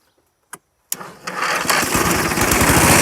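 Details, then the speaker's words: Old Dixon zero-turn mower left outside in the woods about a decade, with spark confirmed and throttle freed. After a couple of clicks it catches and settles into an even, rising run with no knocks, sounding healthy. "okay wow that's pretty good so obviously i didn't hear any knocks or anything but i'll try that one more time before i go any further with it"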